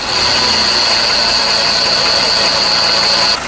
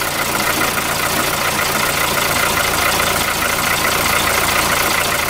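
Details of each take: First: VW Polo 4 engine at idle: a loud, steady, high squeal rides over the engine, then cuts out abruptly. The accessory belt was found split in two places and the belt tensioner bearing was worn; the noise was gone with the belt off. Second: VW Polo 4 engine idling with the accessory belt removed, after it was found torn and the AC compressor bearing was blamed for the earlier loud noise. Steady, even idle with no chirp, squeal or rattle. Normal idle.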